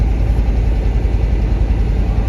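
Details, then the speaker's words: 1988 GMC Jimmy K5 with a TBI 5.7 350, parked 10 years, idling after a throttle body rebuild and new injectors. A steady low rumble with an even, unbroken beat and no misses or knocks; a smooth idle that didn't even smoke. "we we rebuilt that throttle body unit and put new injectors in and started right up Crank It Up Ralphie crunch it up thank you it didn't even smoke"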